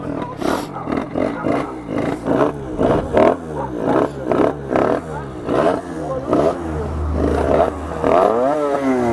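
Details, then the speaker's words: Reiju MRT Trophy two-stroke with 75cc MVT Iron Max kit, running slightly rich: revs rise and hang high with clattery bursts instead of returning to idle; throttle not returning, sticking open. "Ah ouais, il revient pas le l'accélérateur. Il revient pas l'accélérateur."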